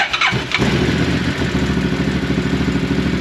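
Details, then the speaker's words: 2014 Massimo MSU 800 V-twin side-by-side after valve lash was adjusted to fix a no-start (valves held open, low compression). In neutral, it catches after a short crank and settles into a steady, even idle with both cylinders firing. "there we go that is running on both cylinders there we go"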